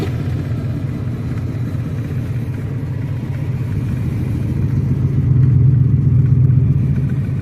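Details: V8 car driving in third gear: deep rumble with an uneven stumbling beat about four times a second, cutting in and out. Misfire from a plug not firing; owner may replace a coil pack.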